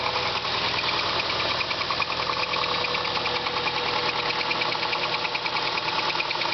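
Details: 2000 Subaru Legacy GT engine at steady idle with a regular light knock, about two per second, heard over the engine; possible rod knock, and the engine later blew up.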